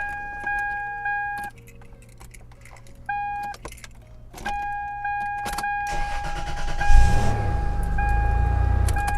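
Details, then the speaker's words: 1998 Toyota 4Runner that wouldn't start due to a failing immobiliser, ignition feed jumped past it with a blade jumper: key-on chimes, quick crank, engine catches and settles to a steady idle, a normal start. "cool that looks like it works and that is the the right one"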